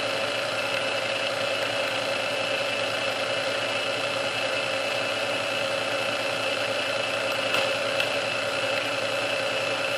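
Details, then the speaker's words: Restored Sunbeam Mixmaster Model 12 that had been quickly overheating its rebuilt speed resistor, after swapping all internal parts: even, steady whir at constant pitch on first (low) speed for about 2 minutes, no surging or grinding; original cause unknown. "Okay, so that's been running for about 2 minutes. That was running for about 2 minutes on first speed, and it had no signs of wanting to give up."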